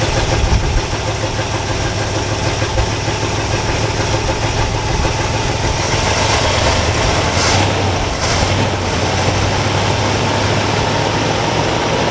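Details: All-original 1962 Chevrolet C20 3/4-ton pickup, automatic, sat over 60 years, running on choke after replacing fuel pump (suspected failed diaphragm): steady, slightly loping idle with low even thrum, running on its own.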